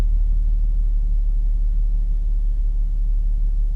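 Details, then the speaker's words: B8.5 Audi S4 supercharged V6 after flashing Jackal Stage 1 tune and new spark plugs, boost temperature sensor refitted, cold start; steady low even rumble, smoother than the rough idle without the sensor, though idle sits low. Normal idle. "Lot smoother idle. A bit of a rough idle without that temperature sensor. It does idle low for a cold start, eh? That's the first thing I notice is that idle's pretty low."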